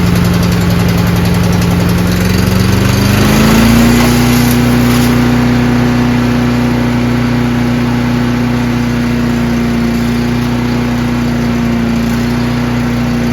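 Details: Craftsman chipper shredder in excellent condition, very heavy flywheel, on choke, brownish old gas, started on one pull; picks up speed about three seconds in, then a strong steady drone with even firing, no rattles.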